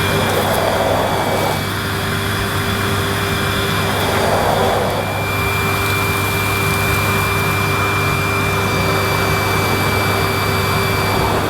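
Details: Panasonic MC-E862 bagged cylinder vacuum, bought new in box, picking up dirt on deep pile carpet: a steady, even motor roar with a constant high whistle and smooth airflow, no surging or rattles; a relatively quiet, good performer running normally.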